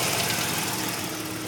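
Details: 1985 Mazda RX-7 rotary at warm idle; quick light knocking over rough exhaust note, only occurs once warmed up; owner hopes it is a pulley; source not pinned down.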